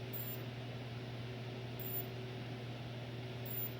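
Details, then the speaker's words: Sanyo FW55D25F TV with no power: faint high chirp repeating about every 1.7 seconds over a low hum as the supply voltage rises and shorts to ground; a shorted mainboard capacitor flashes with each chirp. "and you can tell that's the capacitor is bad so let me unplug it"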